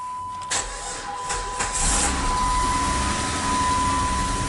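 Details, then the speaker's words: 2002 Chrysler Sebring 2.7 V6 after fitting a used wrecker-yard alternator, battery voltage low: a few sluggish, dragging starter turns before it barely catches and settles into a steady run; slow cranking from low battery. "My battery voltage is kind of low. Let's see if this thing even starts."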